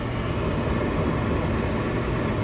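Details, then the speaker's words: Furnace after replacing transformer, control board, blower motor and capacitor, first power-up: steady, even rushing hum at constant pitch with no rattle or scrape; normal startup. "should come on next there it goes it's glowing should ignites gas here any second boom perfect"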